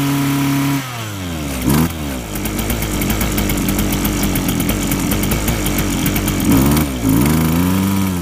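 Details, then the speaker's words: Two-stroke saw (not the presenter's own chainsaw) at full throttle adjusting the high-speed mixture: bogs and stumbles going rich, then climbs back to a clean high rev once leaned out. "but you could see there how it really bogg down and then you were coming back from that bog down"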